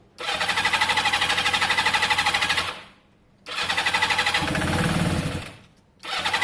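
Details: Yamaha XJ550 motorcycle first start after carburetor work: catches with a quick even patter, drops away, restarts cleanly and idles steadily on choke, nothing knocking or missing; sounds as good as before; normal cold start on choke.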